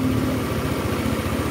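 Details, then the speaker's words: Old Honda Beat carburetted scooter: quick light knock over idle, loud on fresh start, softening once oil reaches the big end after running a while; connecting rod knock. "didiemin kayak gini tuh nanti hilang bukan hilang Ya suaranya agak reda itu suara stang"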